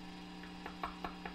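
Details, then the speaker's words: Old single-ended 3W reel-to-reel conversion tube amp, powered on with no input, heard from internal speaker: steady low hum with sharp crackling ticks about five per second; noisy preamp tube, fixed by removing a tube. "it is pretty noisy what's really noisy now that's coming out of the internal speaker Wow okay"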